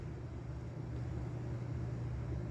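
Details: Vintage Norcold mini fridge, believed to date to the 1960s, with a Fuji Electric compressor (tag about 20 V, 40 W, possibly DC, running on AC, possibly via a transformer): low, steady hum with no rattles, nearly silent once running; normal.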